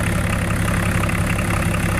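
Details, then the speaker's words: Range Rover P38 diesel idling with a busy, slightly uneven clatter; note changes and picks up as the fuel injection pump timing is tapped back. Vehicle had no power and no rev increase on throttle; air bubble seen in fuel line. "And what we're doing is we're just tapping it back, and you hear the note of the engine change as it goes backwards. There, picked up a little bit."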